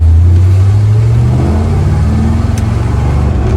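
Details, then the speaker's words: 1974 Corvette V8 after a carburetor retune that fixed breaking up at full throttle. Deep roar rising smoothly under partial throttle with no stumble; accelerates much faster and now idles perfectly. "Wow. Even like partial throttle, it accelerates way, way faster. But just revving it, it's like boom, boom, instead of boom. Oh my gosh, it sounds so good."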